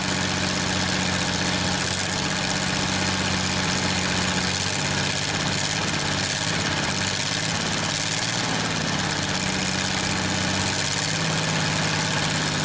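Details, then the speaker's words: Probably 1947 Worthington tractor with a Chrysler 218 flathead six, just started after decades: a steady, even low idle with a firm beat and no misses or knocks, now running on all six; compression later came up to about 90 psi from about 60-70; normal idle. "But it picked up on that six cylinder, so it's running on all six now. We're gonna see how easy it fires up one more time, and then we'll go from there."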